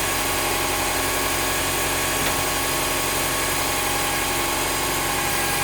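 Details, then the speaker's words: Honda Prelude 5G VTi, H22A5 2.2 VTEC, after repeated timing-belt refits with the balancer tensioner pulley removed; the belt no longer rubs, but an even idle still carries a constant airy whirring from the belt end, source unknown. "Bien que le principal problème soit résolu, la courroie ne semble plus frotter sur quoi que ce soit. Mais alors, qu'est-ce qui génère ce bruit à la con? Mystère."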